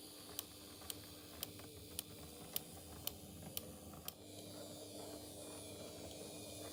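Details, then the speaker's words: Vintage HO-scale Prussian T3 0-6-0 tank engine model of unknown make on a test track with an H&M controller: light sharp ticks about twice a second over a faint motor whirr, only running forward, not in reverse; suspected valve gear catching, otherwise runs well. "There is a bit of a ticking noise that you can hear when it goes in the forward direction, but it doesn't happen when it goes in reverse. It's obviously something on the valve gear that's catching or something like that, but it runs really well."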